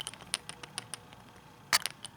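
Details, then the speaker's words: Zenesis 2 490c Carto Hybrid vape mod with an 18490 battery: light, irregular tinny ticking as it's shaken, the cell shifting in the tube, a battery rattle said to be normal for Zenesis. "you'll hear there's some battery rattle now um which I've read is normal uh for zenesis but uh I find it slightly annoying to be honest"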